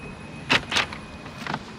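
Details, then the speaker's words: BMW CE 04 electric scooter (2022), side storage compartment opened by button: short electric whirr and crisp clicks as the latch releases, normal storage compartment actuator operation. "there she goes electric press a button get a nice noise it opens"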